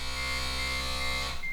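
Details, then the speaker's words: Smart ForTwo Electric Drive, 11 years old and past 100,000 km, brake vacuum pump heard when the brake is pressed after repair of a brake failure: steady electric buzz for about 1.25 s, then clean cutoff. Normal operation, possibly louder than before. "so far that vacuum pump is still working get in here and hit the brake you can hear"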